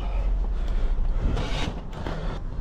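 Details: 2018 Toyota Sienna with replaced engine, crank-no-start traced to a loose bolt, now tightened: low even rumble settling into steady idle with no misses or knocks; engine runs normally.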